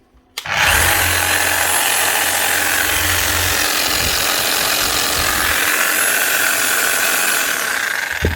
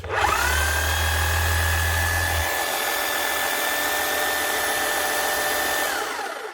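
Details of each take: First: 2008 Makita HM0860C chipping hammer before repair, running rough with weak hammer action and worn brushes; loud, gritty, uneven gear rattle over a high whir, worse at high speed. Owner suspected bearings or gears; armature and crank gear teeth were worn. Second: 2008 Makita HM0860C chipping hammer after teardown and new bearings; it formerly ran rough with weak hammering. It now spins up to a steady, even whine with no rattle or grinding and sounds much better.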